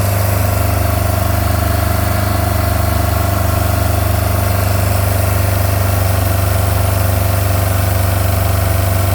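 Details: MerCruiser 3.0 marine engine with cracked block from freezing: rough chuffing idle with a pulsing beat near three per second and a raspy edge, from an exhaust leak.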